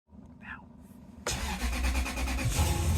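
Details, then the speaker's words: 1996 Lexus LS400 (UCF20, second generation) after fuel pump replacement fixing crank-no-start: cranks briefly, catches cleanly, settles into steady even idle with no stumble or miss. Normal start and idle. "It's running. Another one back on the road."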